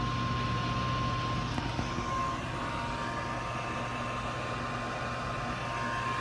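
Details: 92,000 BTU propane industrial shop heater, switch wires twisted together to bypass a suspected failed switch: steady rushing airflow with a constant thin whine and no rattles or scraping. Heater blower running.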